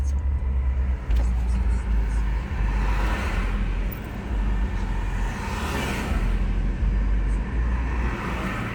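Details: BMW E46 320d diesel below 7 °C with the heater on: idle rises and falls unevenly every second or so instead of holding steady; hunting idle, cause unknown.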